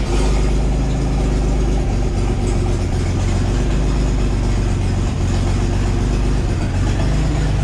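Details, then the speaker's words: Marketplace truck just after cold start, warming oil for an oil change, with massive exhaust leaks: loud, uneven loping low rumble as the engine catches and struggles; rough running, owner suspects a weak fuel pump. "might be dealing with a weak fuel pump too cuz it kind of struggles in the beginning"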